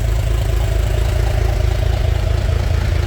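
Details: Narrow Gauge Bombardier, after a new thermostat and gasket to fix high running temperature: a deep, steady, even idle in park with no misses or knocks. Air breather is off while the carb RPM is set; coolant heater hoses are being checked for leaks.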